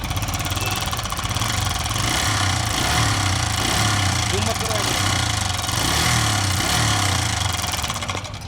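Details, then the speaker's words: Bajaj Freedom 125 CNG motorcycle engine running with a busy metallic khat-khat clatter like a generator, from the timing chain; bike also lacks pickup; fix is a new timing chain. "लेकिन आप अगर आपकी bike में से भी ऐसा sound आता है ना, तो भाई वो टाइमिंग चेन का साउंड होता है।"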